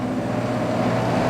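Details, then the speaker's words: Portable air conditioner switched on via hacked toy R/C car remote on its 5V relay board (button must be held, momentary switch): steady low hum, smooth even drone, no knocks or rattles; compressor and fan running normally. "Turns on the air conditioner. So, but we have to hold the button down because it's just a momentary switch."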